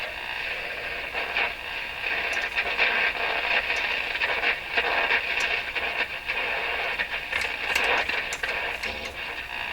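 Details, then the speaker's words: Rogers 11RA651 shortwave radio on AM band with external antenna connected: hissy static with irregular crackling bursts that keep recurring; interference suspected to come from something in the shop, source unknown. "Just by the way, that sound there, boy, that really sounds like something I used to hear on shortwave."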